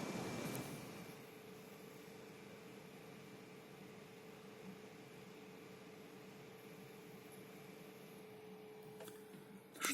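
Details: Lenovo Legion 5 17ARH05H laptop, GTX 1660 Ti, 144 Hz, under GPU load with fans spun up: even fan rush with a steady mid-pitched whine and fainter higher tone, the cooler's high-pitched whistle the owner tries to eliminate.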